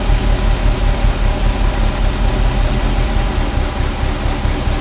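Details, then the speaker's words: Ferrari Mondial V8 at idle: uneven, loping, stumbling misfire on cylinders 5-8, popping like an old marine engine. Pulling the bottom sensor plug does nothing, while pulling the blue plug changes the running. Timing is out; owner suspects a sensor but the cause is unknown. "'s running rough, popping and banging. It kind of sounds like an old marine engine at the moment. There's a thrumming that there shouldn't be, so it's uneven."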